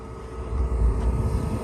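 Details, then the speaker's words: RV propane furnace in Idaho, run monthly after sitting about a month, restarted after 30 seconds off: low rumble swells within a second into steady roar; ignition almost instantly, hot air coming out, normal operation. "we've had a successful ignition almost instantly yeah we can feel nice hot air coming out and that's what we wanted"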